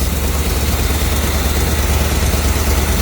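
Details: 1970 Chevrolet C20 350 V8, first start in 20 years, on clean fuel from a can, smoky: low, lumpy idle with uneven beat near three per second and dropouts, a miss suspected.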